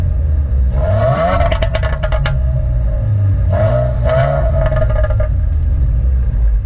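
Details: 2015 Subaru WRX: engine note rises and falls with sharp little pops and crackles as revs drop off; normal overrun crackle.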